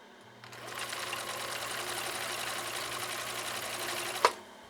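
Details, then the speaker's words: 1962 Husqvarna Viking 19E sewing machine at about 50% power doing a blind hem stitch through eight layers of cotton-polyester: the motor labours, chugging slowly with grinding, moaning and groaning. "Wow that was that was tough did you hear it struggle you heard kind of grinding and moaning and groaning"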